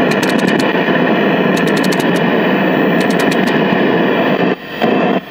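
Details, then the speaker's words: 1968 RCA Victor black-and-white portable tube TV KCS160, a remote-control set, with the muting wire already terminated. A steady loud speaker hiss with sharp crackling bursts that cut in and out. Volume control first suspected; cause is a broken ground solder joint lifted off the chassis. "Well, I think I might have got lucky here. Might have. It is just a broken solder joint. The ground wire on the helicopter lifted off from the chassis."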